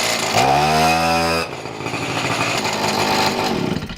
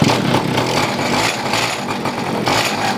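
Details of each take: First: Two-stroke pocket bike after carb idle and air-mixture screw tuning: high buzzy note climbs and settles into steady even running, revs rising and falling cleanly; owner notes it runs inconsistently at times. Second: Pocket bike with a small two-stroke, on a pull start. It won't start, then catches and buzzes raggedly with uneven surges. Lean fuel mixture suspected, so the carburetor mixture is richened; the choke was pulled too soon.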